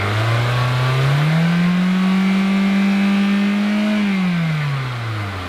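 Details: 2007 Toyota Corolla revved from idle with an exhaust back-pressure gauge fitted: smooth, even rise, hold and settle, no rattle or hiss; gauge shows almost no pressure, so the exhaust and cat are not restricted.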